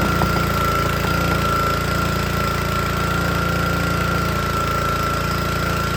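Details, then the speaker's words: Troy-Bilt log splitter with a small Honda engine driving the hydraulic pump, whose air filter had got wet: runs rough with an uneven beat, never picks up, and bogs and wants to stall as soon as hydraulic load is applied. "And then, as you can hear, as soon as you put load on it, it wants to die."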